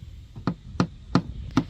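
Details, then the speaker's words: Used boat with a stern drive: four hammer taps on the fiberglass transom sound dull and hollow, the hammer bouncing, pointing to a rotten, delaminated transom core; stringers also rotten. "the next thing is the simple tap test and you can hear it sounds quite Hollow and the hammer even bounces and it shouldn't"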